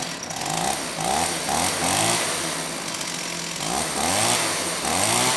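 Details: STIHL 028 AV Super chainsaw, rebuilt with non-OEM parts after straight-gas burnup, first start after choking; revs surge up and down in pitch, not holding steady, running lean, improved slightly by opening low speed screw.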